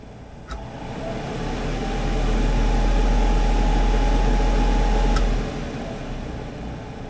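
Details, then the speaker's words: 1964 Dodge D100 Utiline heater blower fan after repair: soft low rush, much quieter than its earlier loud squeal, with only a faint thin squeal at the end. "little squeal at the end but still it's a lot quieter"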